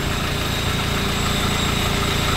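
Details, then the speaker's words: Mitsubishi L300 FB idling with the AC on after the condenser was cleaned. The driver's complained-of noise is gone. Low side reads about 40, high side rises from 100 toward 130–150 as the condenser heats. Smooth, steady compressor hum with no rattle or squeal; compressor slightly weak but acceptable. "Ang sinasabi ng gauge natin sa 40 medyo bawas na yung power ng compressor,"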